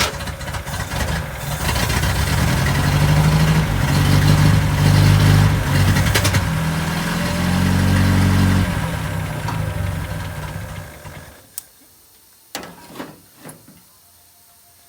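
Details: 1969 International Scout that sat for years in a garage, gas primed into the carburetor, no radiator fitted: catches, runs and revs about ten seconds, then fades and dies. Owner suspects fuel is not reaching the carburetor.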